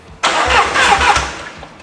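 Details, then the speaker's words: Mercedes-Benz E300 with swapped 5.2 L Voodoo crate V8, first crank from the key after splicing into ignition wires: starter spins the V8 briefly with even, strong pulses; key starting circuit works. "Oh, that works. Yeah, baby. Key works."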